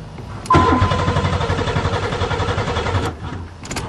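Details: Buick Regal first start in spring after sitting over winter, new battery fitted, fuses good, fuel pump coming on; starter whirs steadily about two and a half seconds, even cranking beat, no firing; cranks but won't start.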